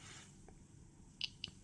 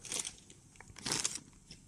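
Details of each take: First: Atom-scan dosimeter with click sound enabled for each gamma quantum hitting the crystal: three crisp high ticks at random spacing over quiet room noise, normal detection clicks. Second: Atom-scan dosimeter with thresholds set at 25, 30 and 50, compass source brought closer: high chirping beep in groups about once a second between pauses, one beep plus one vibration; first dose-rate threshold alarm.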